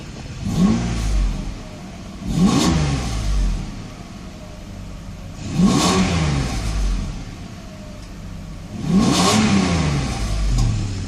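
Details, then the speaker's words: 1995 Mercedes S600 with replacement throttle actuator (E-gas) computer installed, no warning light: four clean throttle blips, revs climb quickly and drop smoothly to idle without stumble; both throttles work, unlike the customer's faulty computer. "accelerates no problem so that is the problem here with your computer as you can see it mine works yours does not"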